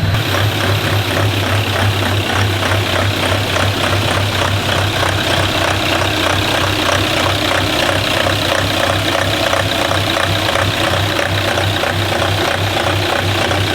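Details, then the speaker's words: Diesel engine in a JD DervBus project, laptop with initial timing values, warmed up; steady, even diesel clatter at settled idle, no misses or knocks; normal diesel idle. "I've got the extractor on obviously so I have had it running a minute ago so it's all up to temperature"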